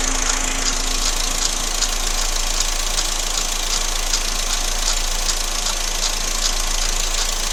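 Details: Loud steady engine idle with a fast light tapping on top, roughly two or three per second; engine knocking noise, cause not identified.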